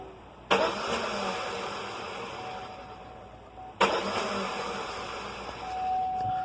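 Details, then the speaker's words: 2001 Chevrolet Cavalier: two harsh grinding bursts as the starter engages while the engine is already running, pinion slipping instead of catching; starter teeth destroyed, starter being replaced. "the teeth are just destroyed on the starter it misses so many times you could hear it"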